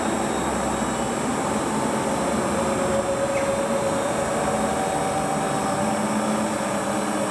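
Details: Hotpoint Ultima WT960 washing machine (7kg) test spin after repair with a brand new replacement drive belt; steady even whirr as drum spins up, smooth hum, no knocking, scraping or belt slap; healthy normal spin.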